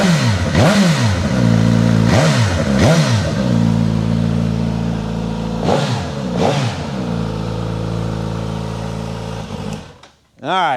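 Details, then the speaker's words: 2022 Suzuki GSX-S1000 GT on dyno with Akrapovič exhaust, cold start, engine definitely not warm: catches and settles to a smooth, even idle with a few clean rev blips rising and falling cleanly; normal cold start and idle. "That is a cold start on it too. The engine is definitely not warm."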